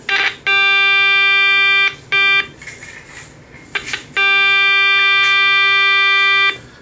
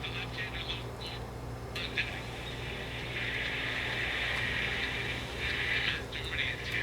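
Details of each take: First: Early Channel Master 8-transistor AM radio made by Sanyo, under repair: audio generator signal injected into the audio amplifier gives a clean, steady buzzy tone in bursts of a second or two with no crackle or distortion. The audio stage works. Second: Channel Master 8-transistor AM pocket radio, made in Japan by Sanyo, under repair: only a thin, tinny trace of audio under steady hiss and hum. Output very faint; fault not yet located.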